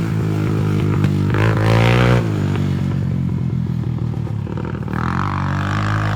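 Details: Honda 300EX ATV test ride after engine rebuild: single-cylinder thump rising and falling with throttle, crisp and even, no knocking or clatter; pulls cleanly, normal running under load.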